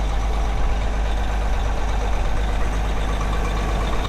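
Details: Caterpillar 18M3 motor grader diesel after a cold start, with sub-zero transmission and hydraulic temperatures and engine oil low. Heavy, low, even rumble holds steady at idle with no misses or knocks. Healthy diesel idle.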